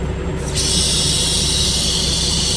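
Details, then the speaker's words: Volvo truck rear air suspension with engine idling: loud, steady hiss of air that starts suddenly and never stops; the height control (leveling) valve keeps dumping instead of stopping once level, so the valve is faulty. "So after a while, if the dump well is dumping, that means well is no good. Sounds like it's not good."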